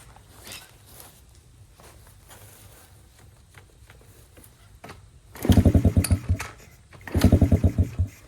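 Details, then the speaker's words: Motorcycle abandoned about a decade, with old oil and stale fuel: two short bursts of slow, uneven, soft cranking that never fire. Low compression suspected; the spark plug was later found loose. "Geez, you can tell it's a low compression engine."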